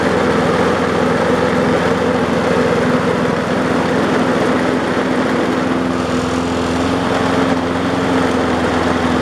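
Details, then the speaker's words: Old roadside-found mower after loose carburetor fix and blade refit, running: steady drone with heavy shake; blade confirmed on correctly, so a bent crankshaft is suspected, the previous blade having been severely bent. "well as you can see it runs but we still got quite a bit of vibration my guess is I put the blade on wrong or worst case scenario the cranks bent"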